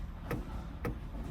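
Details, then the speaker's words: ShopTruck after switching from Turbosmart eGates to twin PowerGate 60 CO2-controlled wastegates via FuelTech boost controller, trans brake set at full throttle: sharp single clicks about every half second as the solenoid adds CO2 to the wastegates. Normal solenoid pulsing. "Full throttle. You see the light blinking? It's adding CO2 to the wastegate."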